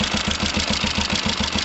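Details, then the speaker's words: Kawasaki ER5 with fuel pump problems and overflowing carbs: uneven, lumpy idle with dips close to stalling; owner suspects the left carb with its new gasket isn't tightened enough; rough idle. "It sounds like it's stalling. Interesting. Right. Let's see what's going on."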